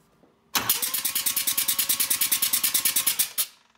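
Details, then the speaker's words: First-generation Mazda RX-7 (FB) rotary, cranking with spark plugs removed as a basic compression test. Steady, evenly spaced chuffing pulses, about eight a second, none weaker than the rest; both rotors show good, even cranking compression. "both rotors offering a good compression we've got nice evenly spaced chuffing noises"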